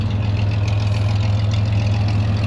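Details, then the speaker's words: 1961 GMC COE truck bought at auction, original fuel pump replaced with an electric one: low, steady idle with an even throb and no knocks or misses; engine sounds healthy, normal idle. "So, so pretty cool. Sure sounds good."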